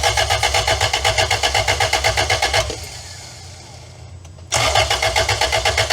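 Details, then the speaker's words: 2-litre engine freshly installed in a van after sitting about 18 years, with fuel pump on, cranks steadily at about four beats a second with a pause and won't fire; intake clamps missing, causing a leak. "I think we need some clamps on this intake because I seem to have missed them."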